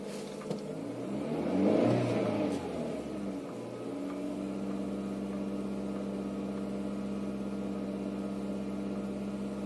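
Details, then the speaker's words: Renault Scenic 1.6 petrol, about 1999–2000, key type, Siemens Sirius 32N ECU unlocked after immobilizer failure caused no-start: brief starter churn, catches and revs, then settles into an even, steady idle with no misses; normal start and idle after fix. "Δεν χρειάζεται να ξεκουμπώσουμε τίποτα στο αυτοκίνητο, τυπάει μίζα και παίρνει μπρος."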